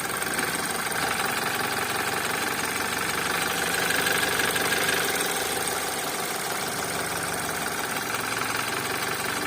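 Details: BMW X3 F25 with the N20B20 petrol engine, idling about 100 seconds after a start, lambda 0.96. A dense mechanical clatter with a loose, uneven knock about three a second; the cause is not yet known.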